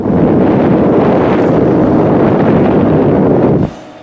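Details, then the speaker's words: Replacement regular ATX power supply in digital picture frame computer, replacing one whose fan knocked and needed oiling: loud steady jet-like air rush, no rattle or ticking; supply fan moving air fine. "Post sounds more of a jet engine now but there is certainly air flow there maybe the camera will hear it"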